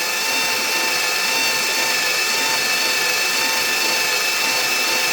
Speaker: Turning much quicker. No laboring on the starter. Like before, it was like rrr. You could hear it hitting the dead spots. It's turning way quicker.